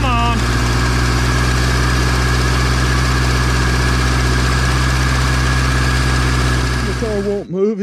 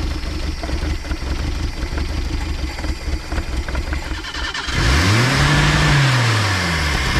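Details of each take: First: 1979 Datsun revived after sitting about 30 years, transmission refilled, bent drive shaft stops it moving: steady, even idle with a smooth low hum and no knocks or misses; engine runs really good, normal idle. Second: 1979 Datsun sitting about 30 years, HEI distributor, fuel pump hooked up: runs rough, then revs climb and hang high on their own; a broken-off vacuum fitting wired in place leaves a huge vacuum leak.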